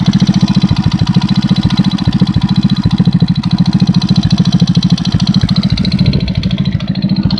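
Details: 110cc engine idling, sharp tapping about three and a half knocks a second that disappears at higher revs; began after cylinder base gasket replacement, persists despite valve clearances 0.05/0.07, doubled base gasket and new timing chain and tensioners; top-end knock.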